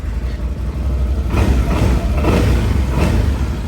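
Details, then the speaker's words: 2019 Can-Am Outlander 1000 ATV with 22,000 miles, needing service; fires right up and settles into a deep, steady V-twin idle with no knocks or rattles; normal idle. "sounds really good but uh definitely is in need of some service"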